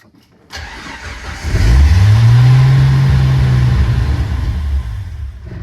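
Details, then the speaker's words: First start of an engine just fitted with a Chinese Motorcraft 2150 carburetor, choke not wired, battery on booster, in neutral: cranks, catches and runs lumpy and uneven, never settling; owner fears a rod as everything starts smoking. "That sounded bad. Hopefully that wasn't a rod."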